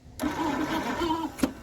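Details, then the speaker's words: 1948 Packard Super 8 straight-eight cranking after sitting since early 1980s, steady starter drone with galloping uneven beat; number seven cylinder weak compression, owner suspects stuck exhaust valve. "so really the only weak cylinder and we can hear it cranking over and here kind of gallop is number seven I'm guessing there's a stuck exhaust valve"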